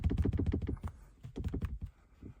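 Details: Truck centre console armrest lid rattles with hollow plastic clunks even when latched; fixed by adding tape; armrest lid rattle.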